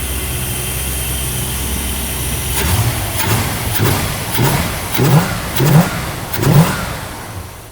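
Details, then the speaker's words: Never-sold new-old-stock 1974 Plymouth Cuda, 62 original miles, original Thermoquad carburetor: big V8 blipped repeatedly, deep throaty revs rising and falling cleanly with no knocks, misses or vibration; linkage may need lube; healthy. "62 miles. And look at it. No vibration, no nothing. This is a miracle of humanity."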